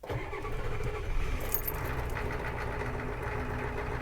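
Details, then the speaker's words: 1991 Ford Econoline 350 camper van, 7.3 IDI diesel, about 90k miles, mild San Diego cold start after glow plug cycle with some gas: brief crank, catches into rough clattery idle that steadies; normal cold start. "There it goes. The famous 7.3 IDI,"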